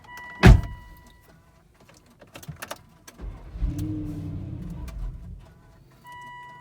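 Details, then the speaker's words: Volvo XC90 V8 stalled while reversing, then cranks but won't start; chime tones, about two seconds of starter cranking that never fires; scan shows fuel pump code, owner suspects fuel pump or corroded PEM; SRS airbag warning also appeared. "i tried to crack it it will crack start and then die so this is how it looks like yep it dies"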